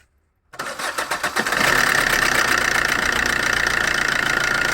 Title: ENGINE TIMING CHAIN NOISE